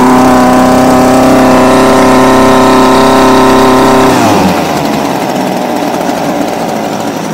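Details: Homelite UT20042A string trimmer just after fitting replacement C1U-H60 carburettor, not yet warmed: two-stroke revs cleanly then sags and fades when throttle drops; won't idle, mixture needs adjusting.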